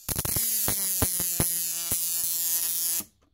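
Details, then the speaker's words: Repaired old 555-timer Mk1 Jaycar Jacobs ladder kit coil driver with added frequency control, rods on the coil, boxed up: a steady harsh buzz with crackling hiss, even throughout, then cleanly cut off. Normal arcing. "Let's see it running. This was designed as a Jacobs ladder kit, so I've put some rods on the coil there."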